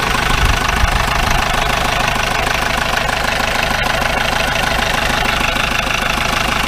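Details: 1953 Mercedes 170D (W136) four-cylinder diesel, once-seized restoration project, idling with the microphone at the rear: harsh, steady rattling knock about three a second and smoke; owner suspects worn injector nozzles.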